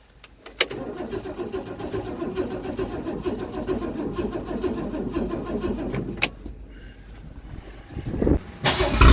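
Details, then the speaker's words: 1964 Mercury Comet Caliente convertible, fully restored, first start in 25 years: old V8 cranks, catches and runs with a steady rumble before shutting off; clean first start, sounds fine. "Going. First time in 25 years. Go, keep going, baby. Oh, sounds good."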